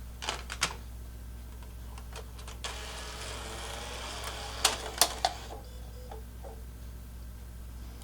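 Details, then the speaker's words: PS3 Phat Blu-ray drive after repair (a loading-mechanism pin had popped out of its channel, so discs only loaded part way): a few light clicks, then a smooth whirring draw-in and spin-up as the disc loads normally. "and it does so you know uh there's the two steps first it pulls the disc into the drive and then if if the mechanism detects that the disk is in there properly then it will begin to spin the disk"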